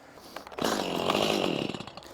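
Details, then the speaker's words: Stihl chainsaw about a year to a year and a half old, restarted after chain came off: catches and revs ragged for a second then dies, even on choke; starving, won't stay running, cause unknown. "it runs for a second and starves itself out and it won't stay running I put it on choke just won't stay running"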